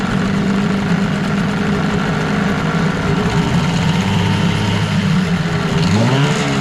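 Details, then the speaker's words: 1989 Evinrude Yachtwin 6 hp two-stroke outboard in test tank, smokes: flat unchanged drone through first three-quarters of throttle, revs climb only at full throttle; hesitation, owner unsure if carburetor or fuel pump, fuel pump appears previously opened. "about three quarters of the throttle nothing happens and then when you hit the end of it then it starts to pick up RPM so I don't know whether that's a a carburetor issue or or a fuel pump"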